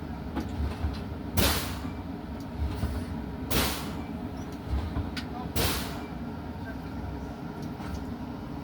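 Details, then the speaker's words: Semi truck during a CDL air brake test, primary gauge above 100 PSI: three sharp air hisses about two seconds apart over a quiet idle as the brakes are fanned to bleed pressure down to about 100 PSI. "My primary right now is above 100 PSI. So, I'm going to drop it down to approximately 100 PSI."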